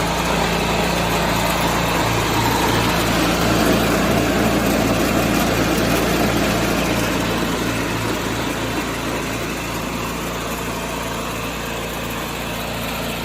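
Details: 1986 John Deere 216 small single-cylinder tractor after carb cleaning and PTO adjustment, leak fixed, driving the driveway: even, steady fast idle with a regular beat and no stumbles. Normal running.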